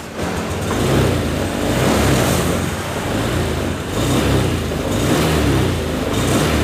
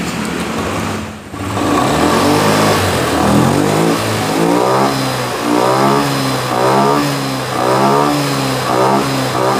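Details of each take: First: Honda Scoopy FI, about 2022, K0J engine: revs swell and sag unevenly with a flat, stumbling pull at low-to-mid throttle. Hesitation; injector, throttle body and filter cleaning plus an ECU reset are planned. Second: Honda Scoopy FI (around 2022, K0J engine); starts, then revs cleanly up and down in smooth repeated blips with no hesitation or sputter; running healthy.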